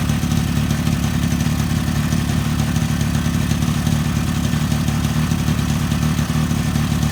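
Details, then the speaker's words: Freshly top-end rebuilt 2002 Suzuki LT-A50 50cc two-stroke quad with new Wiseco piston and adjusted carburetor, first start on first pull: even, steady two-stroke burble with deep low rumble, no knocks or rattles; normal healthy idle. "guys check it out this thing started right up that's amazing we're fighting this thing just because of that seal this is amazing look at that they started on first pull I'm so excited and it just sounds so healthy"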